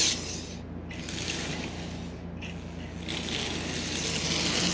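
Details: Marx 999 toy train locomotive, unmoved for decades and very dry, motor running after two drops of oil: small motor whirring with a rough, ratchety chatter about three times a second, a dry gear train needing lubrication.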